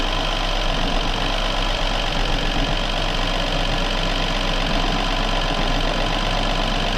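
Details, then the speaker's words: BMW N13 (F20/F30) idle after replacing the rattling oil pump chain: smooth, even idle with steady low hum, only normal injector sound, and no rattle from the oil pump area. "this is just a normal injectors looking and absolutely no rattles coming from down here which means i'm a very happy fellow"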